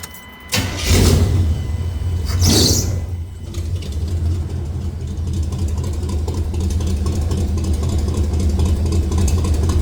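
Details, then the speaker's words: Stock 305 small-block V8 in an A-team van, after fitting 1.6-ratio rockers on the exhaust valves only (stock is 1.5): it cranks, catches and settles into a steady, even burble with no misses. It sounds only slightly different, so the swap isn't worth it. "Little bit of difference. Moral of the story, if you got a stock 305 and you think you're going to make it sound cool by putting some 1.6 uh ratio rockers on the exhaust, you would be wrong."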